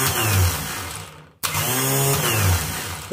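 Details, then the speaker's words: Renault starter motor run on the bench with a slipping Bendix; loud, harsh whirring that cuts out and spins again; the noise suggests it has a bearing that should be replaced with a bushing. "essa partida parece que ela é de rolamento, pelo barulho, tá?"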